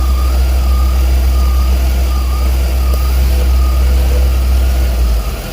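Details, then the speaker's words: 2000 Ford Windstar 3.8L, started cold and at about 140°F, with codes P0171, P0174, P0303 and P0455: a low, uneven idle that stumbles irregularly from misfiring. An intake leak or low fuel pressure is suspected. "This is literally running like it has an intake leak, but it could be low on fuel pressure."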